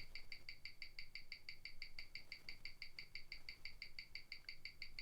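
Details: 1997 Omega Speedmaster Professional, caliber 1861, on a Weishi 1000 timegrapher; crisp, even ticks about six per second, steady and regular, in a quiet room. Rate settled from plus nine to plus five; amplitude not a concern. Normal watch tick.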